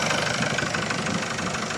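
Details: Engine idling steadily with an even, fast patter and no stray knock or hiss, after a loose, leaking number two injector was tightened; before the fix the engine was noisy and misfiring.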